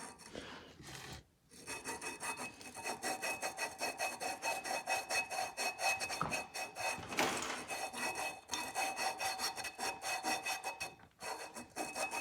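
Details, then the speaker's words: Golf cart engine rebuild, valve lapped into its seat by hand: quick gritty back-and-forth rasping strokes that get smoother as the grinding goes on. "can actually hear the difference it gets a little smoother as you grind it down the piece becomes a higher grit"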